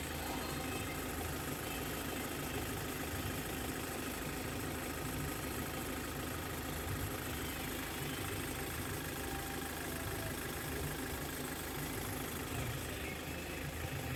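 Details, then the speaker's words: 2015 Hyundai Verna Fluidic diesel after timing chain replacement for chain noise, mostly genuine parts. A smooth, steady idle with no ticking or chain rattle; the engine sounds smooth and runs well, with a road test still to come. "അപ്പൊ ഇത്രയും കാര്യങ്ങൾ കാര്യങ്ങളാണ് വാഹനത്തിന് engine നല്ല smooth സൗണ്ടും നല്ല റണ്ണിങ്ങും ആണ്"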